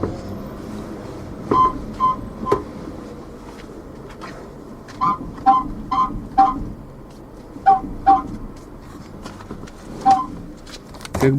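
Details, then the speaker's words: VAZ 2115 parked with engine off, rocked by hand, camera on rear shelf: short squeaky creaks about every half second from the rear; not the rear seatback, owner suspects somewhere near the strut. "слышали скрип вот сидушку откинул Так что ни хрена это не здесь скрипит скрипит где-то со стороны стойки что ли"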